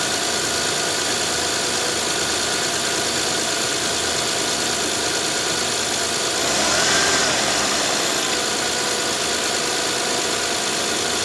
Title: 2011-2017 Honda Odyssey First start after Timing Belt kit replacement after 12 hours of work